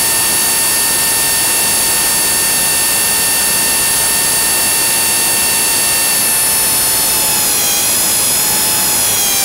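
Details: Blade 300 X in Idle Up, with weird twitches and loud noises: a loud high whine holds steady, then its pitch wavers and dips near the end. The cause of the erratic noise is unknown.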